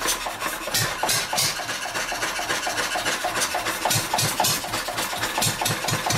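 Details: Wolseley stationary engine shut off and left running dry: irregular popping bursts with uneven gaps, the hit-and-miss beat faltering and weakening toward stalling; fuel starvation, out of gas.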